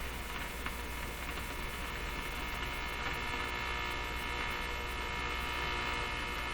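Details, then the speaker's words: Nordmende Boheme hi-fi tube radio on the bench, warmed up on a restricted 90 volts: a steady low buzz with no crackle; its source is unknown, either the radio itself or picked-up interference. "not the crackle but the steady buzz i'm not sure i can identify what that is"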